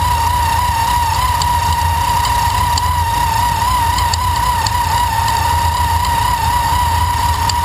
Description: tvs2300 making a knocking noise. sounds like a bearing going out to me.